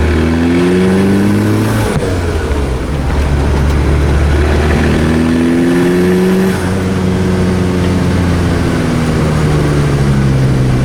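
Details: 1986 VW Golf with swapped 1.9 TDI ALH, mechanical Bosch VE pump, Garrett T25 turbo: revving up and down at light throttle with a ragged, uneven beat; misfire at certain revs at light/no load, worse in winter, cause unknown.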